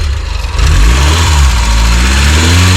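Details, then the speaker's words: NA Mazda Miata MX-5 with crank-no-start, after replacing the crank angle sensor, sat about a month: engine catches and settles into a smooth, even run with a clean rev; normal running after repair. "So after putting the crank angle sensor in, this is a moment of truth, if it will start or not. Yeah! Diagnosis was right."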